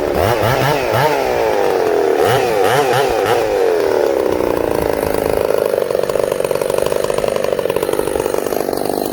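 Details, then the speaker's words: Ported Husqvarna 266SE chainsaw idling with chain brake on: revs hard with uneven surging note, then sags and burbles down as it loads up; idle needs turning down to stop chain spinning. "If you put the chain brake on and let this thing idle, it loads up."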